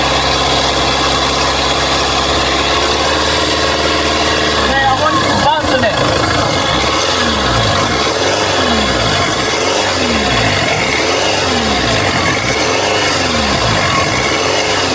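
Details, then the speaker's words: 2.1L diesel Mercedes-Benz Sprinter after turbocharger replacement, oil-primed: engine fires at five seconds and settles into a steady idle with a gentle rhythmic swell and faint turbo hiss; the turbo sounds healthy. "yeah you can hear the turbo now un like ear there was no whistle to it"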